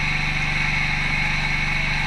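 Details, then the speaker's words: Cow milking machine run at 0.5 on the gauge before attaching the cluster: quick, even ch-ch-ch pulsator pulses, roughly fifteen a second, over steady pump hum and high whistle; pulsator working normally, ready to milk. "It's going ch-ch-ch-ch-ch. So it's now ready."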